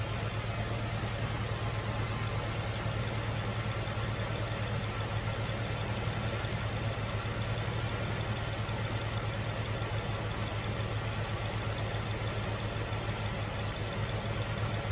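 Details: Nissan Fairlady Z Z33, VQ35DE V6, automatic, 310,000 km, just after a DIY engine overhaul: steady, even low idle with no knocks, ticks or misses. Idling smoothly and healthy.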